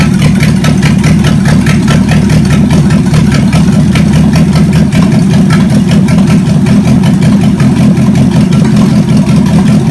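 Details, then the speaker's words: Chevy 283 small-block V8 from Facebook Marketplace, second run on the shop floor: deep, even idle with steady firing and no knocks or misses; compression later about 100–120 psi; normal idle. "Beauty it runs so good"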